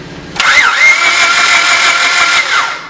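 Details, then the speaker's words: Car cranking with compression gauge fitted reading about 10 psi instead of about 150: fast, free-spinning starter whir with no firing or labouring; no compression, timing belt suspected broken from skipped maintenance. "notice how that engine doesn't sound like it's catching it just sounds like it's rotating well the reason why is because there's no compression now you wonder why is there no compression well that's because we suspect that the timing belt this is a timing belt here that broke"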